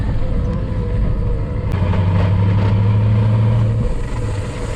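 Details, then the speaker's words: Nissan Patrol GU with an LS1 V8 swap, driving after gear-shift work: a low drone rises over road noise, suspected to be the transfer case not fully engaged while trying to shift out of two-wheel drive. "i think that's transfer case that's transfer case might not be fully in gear actually i think that's transfer case because the [ __ ] transfer shifter was going nuts"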